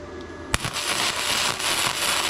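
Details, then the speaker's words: ARCCAPTAIN MIG130 no-gas flux-core MIG welder during a beginner welding demo: a sharp strike, then a steady, even "ch-ch-ch" frying crackle. This solid, levelled-out sound indicates a stable arc and correct welding. "You're going to hear it go ch-ch-ch-ch-ch-ch-ch. And when it's that solid sound, that's what you're wanting to do."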